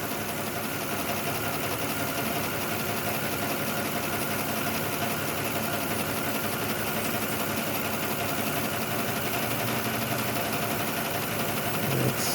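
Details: 2006 Lexus ES330 at idle after tapping the stuck number 5 injector: uneven lumpy beat, about three stumbles a second over busy engine hum; cylinder 5 still dropping out from an injector stuck closed, injector cleaning planned next.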